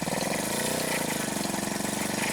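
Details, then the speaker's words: Peugeot 103 MVL two-stroke moped with slipping belt and bad-sounding clutch, oil leaking and two head gaskets fitted: buzzy idle with uneven hunting beat; rough running, suspected air leak. "bah son moteur il tourne pas rond, hein. On dirait encore une fois une prise d'air, hein, mais c'est clair et net et précis."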